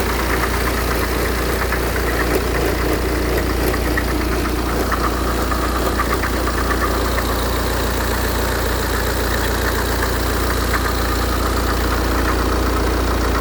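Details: 2008 BMW 118d diesel at idle: a loose, irregular clatter of about two beats a second over the deep rumble; origin not pinned down.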